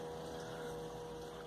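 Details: Electric fuel pump, switched on via its relay, feeding a Holley 7508-1 2bbl economizer carburetor on a Ford, checked for leaks: faint steady mid-pitched background hum; normal fuel pump running, no leaks.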